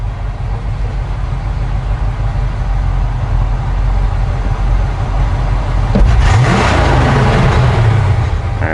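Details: 1972 Chevy C20 utility truck, newly installed FiTech Go Street EFI 400HP system with Force Fuel mini surge tank, being tuned while not fully warm: steady idle then quick clean rev rising and falling smoothly, normal free revving.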